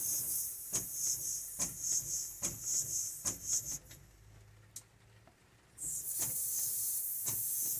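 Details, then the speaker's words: 1948 GMC Silversides PD3751 bus air wiper, valve cleaned of gunk and wiper arm swapped: steady high air hiss under the rhythmic swishing, about once a second; the valve shaft leaks air and needs an O-ring, though the wiper works. "The valve does need an O-ring. You can hear it leaking there, so it needs an O-ring on the shaft."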